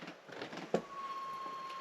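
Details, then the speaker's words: Caravan bed-area fan running: after a few soft knocks, a thin, steady whistle starts and holds at one pitch; the cause is not clear. "can you hear that noise apart from that whistling sound yeah that's just straight on him so it's not getting on me"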